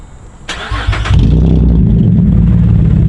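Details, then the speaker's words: Holden Commodore SV6, de-catted, with the first rear muffler partly removed; starter whirr then a deep loud raspy idle, heard standing behind the car; loud exhaust with muffler removed. "that's that sound we've been after stand behind it that is so fun that is actually sore like like halfway there and it already sounds [ __ ] sick"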